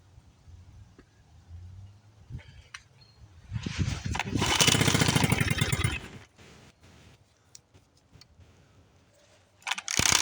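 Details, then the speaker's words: 1976 Johnson Seahorse 9.9 outboard, 30+ years stored, run without cooling water, after bleeding air from the fuel line, which barely flowed. A pull fires for about two seconds and then dies; it is not getting gas, so carburetor work continues next. "now yeah just not getting gas so I'm going to continue on with the carburetor and uh take it from there"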